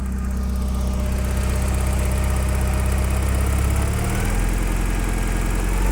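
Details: Porsche 944 engine running after no-start trouble: an even, steady low beat with no knocks or misses. It runs really nicely once started. The owner suspects a wiring, electrical supply or injector problem when starting.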